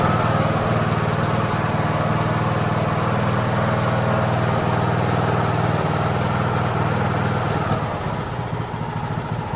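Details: Craftsman YT3000 riding mower on first start after a donor engine and carb swap, run from a jumper pack with no battery: steady even single-cylinder chug with no misses or knocks. Normal idle.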